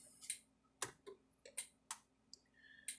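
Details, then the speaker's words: 2011 Zareba A50LIL 50-mile, 2-joule fence charger after repair, loaded with a 150-ohm resistor across the fence and ground terminals; quiet, sharp ticks about once a second, much quieter than before, reading 3.4 kV, normal pulse. "all right so now we're going to plug it back in turn it on a lot quieter than it was before"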